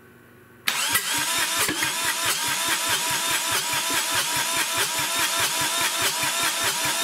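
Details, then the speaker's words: Kubota D1105 3-cylinder diesel swapped into a 1994 Geo Metro cranks with glow plugs on, rhythmic compression pulses about two to three a second, but won't fire; owner suspects blown head gasket or cracked liner, smoke puffing from thermostat housing. "but it's looking like it's not going to start until i replace the head gasket i'll crank it over here and show you"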